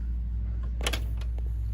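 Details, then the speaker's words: 1980s Panasonic RX-4920 dual-cassette boombox, about 40 years old: a click, then rewind whirrs for about a second and stops dead over steady hum. Rewind stalls; owner suspects rotted belts, probably needs all new belts. "it goes like just a second and then it stops. So there's an issue with that. There might be a belt or something, I don't know. Probably needs all new belts really."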